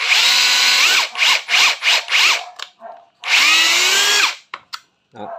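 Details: Used Hitachi 18V brushless cordless four-mode hammer drill tested unloaded: short trigger pulls, clean motor whine climbing and dropping smoothly, no grinding or rattle, described as quiet; normal running.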